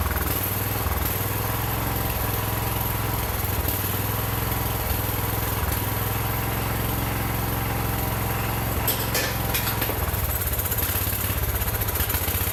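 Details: John Deere 110 garden tractor pulled from scrap, first run after points smoked and battery jumped: small single runs steady and even, no knocking or rattling, little smoke partly from oil put in cylinder; runs normally, fuel system still dirty.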